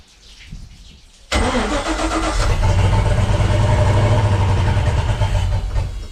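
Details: Volvo Penta 5.0 GXi marine engine cranks, catches and settles into a lumpy, uneven idle with a wavering low beat on first start after throttle position and MAP sensor replacement, injector pulse check and compression test; plugs had been dried and cleaned, rough running.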